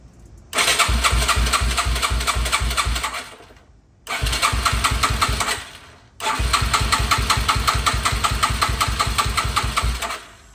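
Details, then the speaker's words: 2006 Yamaha TT-R230 with compression, spark, fresh 91-octane fuel and a new petcock all confirmed: three bursts of fast starter cranking that never catch; cranks but will not start; owner suspects the cheap aftermarket carb is gunked up inside. "so we've already confirmed it's got enough compression it's got spark and it's got fuel going to the carb but I've got a suspicion that the carb is just simply way too gunked up in the inside"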